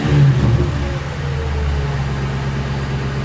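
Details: 2006 Crown Victoria P-71 V8, stock mufflers internally bored and drilled, unloaded: a quick rev blip dropping back to a steady, throaty idle with no rattles or leaks. Normal exhaust note, a little louder than stock.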